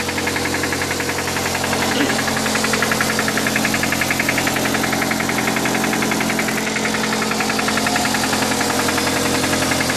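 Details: Suzuki Aerio petrol engine idling with a steady, deep knock, roughly three a second, from a worn rod bearing.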